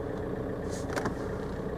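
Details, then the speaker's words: 2002 VW Golf PD130 diesel idling after the injector loom was replaced. A steady, even, smooth low drone with no misfire, knock or shake; there's no vibration and it sounds spot-on. "there's there's no vibration it's it's running just like it should run it's a pleasant place to be"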